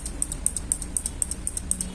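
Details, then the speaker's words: Isuzu Elf Giga NMR 71 original turn-signal flasher after replacing its failed internal relay, lamps connected: crisp, evenly spaced paired clicks at about four per second with no skips. The flasher is cycling properly. "kemudian kita pindah yang satunya kalau dari bunyinya ada ah bunyi pasti harusnya hidup"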